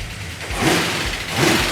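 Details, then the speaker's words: Mopar 440 Magnum V8, fresh build with roller rockers and roller lifters, first start, good oil pressure: two quick blips climbing and dropping cleanly with crisp response and no knocks. Healthy rev; one or two valves may need readjusting. "wow is that responsive that sounds good"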